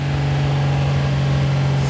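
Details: 2JZ ITB Toyota GX81 Mark II just after first start: smooth steady idle with an even low hum, no misses or knocks; engine running cleanly.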